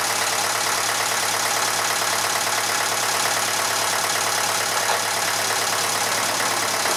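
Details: Massey Ferguson 35 (835), Standard 23C diesel, first run after sitting over a year: steady, even idle clatter without misses or knocks; some blow-by for the engine's age; normal diesel idle.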